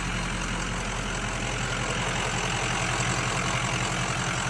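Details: 1980s bullnose Ford F350 swapped to 6.0L Powerstroke diesel V8, after replacing broken number five injector that caused the miss: steady even low rumble and clatter at idle, no stumble; much better.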